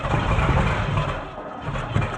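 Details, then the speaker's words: Camaro barn find parked 32 years, Quadrajet carburetor, first start attempts with fuel: rough cranking, ragged firing and sharp pop, blowing smoke out the carburetor base; ignition timing suspected out. "Okay, the timing's out. Yep. Like it blew smoke out of the base of the carburetor."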